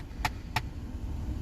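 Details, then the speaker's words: 2014 Ford Explorer dash clicking whenever HVAC settings change, two sharp clicks over cabin hum; mode blend door actuator case split, letting internal gears skip; replaced via glove box removal. "Yep. See, every time you switch to different settings, it'll starts to clicking. So it's actually a blend door actuator,"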